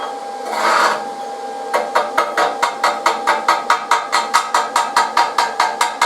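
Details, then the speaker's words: YesWelder CT2050 stick welding at 120 A with a flat/horizontal-only rod. Crisp crackling arc pulsing about twice a second in an even whip-and-pause rhythm: a normal, stable stick weld. "so check that out guys it's just a real fun rod to run"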